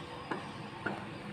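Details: LG two-door refrigerator whose lower compartment stops cooling after about a day; faulty defrost timer tested on the bench: sharp ticks about every half second over a faint hum as it steps; timer damaged, blamed for the defrost failure.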